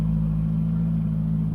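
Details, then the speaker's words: 1970s Turner Ranger tractor, 1098cc A-series engine, after ignition timing adjustment at the distributor, warmed nearly to temperature outdoors, before carb mixture and idle tuning: low steady even rumble with no misses or knocks; normal idle. "so I pulled it outside into the sunshine let it warmed up it's running really well nearly up to temperature"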